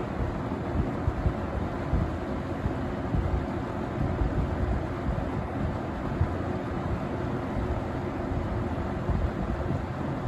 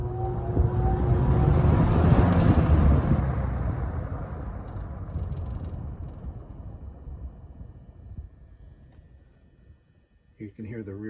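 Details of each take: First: Vintage 1970–71 Windsor (Lakewood P-21) box fan on low speed: a steady, even whoosh with a soft low hum and no rattle or knock, despite a slightly out-of-balance blade; runs well with good spin-down; normal running. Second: 1971 Windsor (Lakewood P-21) box fan at high-speed startup: deep whir with a light steady rattle from the guard caused by blade imbalance; dirty windings noted, needs cleaning.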